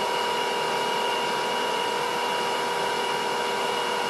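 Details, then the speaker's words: Induction motor of a hundred-year-old bench lathe driven by a VFD at 80 Hz after torque compensation testing, bearing seats dimpled in end caps; smooth steady hum with high whine, hardly any vibration; normal high-speed running. "I got 80 Hertz hardly any vibration"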